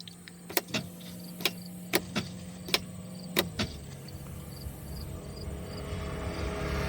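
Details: 2025 Massimo T-Boss 550: sharp clicks and short cranking bursts, but the engine never fires. Cranks, no start, with no flashing engine light and about 13 volts shown.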